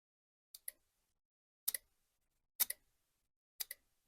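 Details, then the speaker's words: Headlight relay from a 2011 VW Jetta, bench-tested with ground on pin 86 and power on 85: four crisp double clicks about a second apart in a quiet room; the coil pulls in and contacts switch, relay passes first test. "you hear that click? That means it's working. So it passes the first test, which means that when power goes through the coil, the switch does engage."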